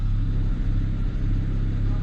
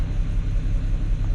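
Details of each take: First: BMW 335i E92 N54, about 94-95k km, after clearing codes: low steady idle rumble, reasonably stable with an occasional soft pop; spark plugs to be checked, injectors old. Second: BMW 335i E92 N54 rough idle: lumpy uneven idle with stumbling beat, revving doesn't clear it; misfire persists after moving ignition coil, later logged on cylinder six; failing coil suspected.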